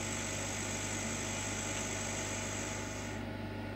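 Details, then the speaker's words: Chinese laser cutter with 1.5-inch lens, air assist via pressure control valve: machine hum under an airy hiss that drops away about three seconds in as the air is turned right down to a whisper, just enough to keep fumes off the lens. "off or certainly right down so we could have it if I can get it just right there we go we can just hear a whisper there's just enough positive air coming out of that nozzle to make sure that we don't get any fumes back up on the lens"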